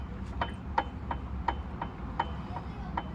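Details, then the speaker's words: 2004 GMC Envoy, inline-6, front jacked up with wheel in air: sharp metallic clunks every 0.35–0.4 s as the left wheel is rocked, from the inboard tripod CV axle; unclear whether the CV axle or the differential side bearing is loose. "Alright guys, so hopefully you can hear that knocking sound when you rock the wheel back and forth."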